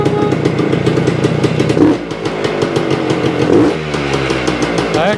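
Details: 1975 Suzuki TS-250 two-stroke, first start after a no-start, about 30 degrees out: crisp, even crackle picking up cleanly on each throttle blip and settling back without misfire; healthy after loose screws re-secured and stator rewired.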